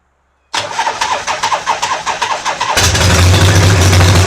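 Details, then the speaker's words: 1980 Harley-Davidson Shovelhead V-twin after new battery, ground and starter cables, short fixed and carburetor repaired: electric starter cranks steadily two seconds, engine catches and settles into an even, loping idle; starts and runs properly. "Electric start works. Kickstart works. Bike runs great."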